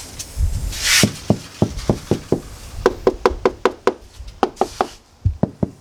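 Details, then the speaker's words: Toyota AE92 cabin after acoustic liner and sound deadening, microphone turned toward the doors: sharp dry clicks in quick irregular bursts over a quiet cabin; door handle rattle. "So just quickly turn this microphone around so you can hear the door handles rattling."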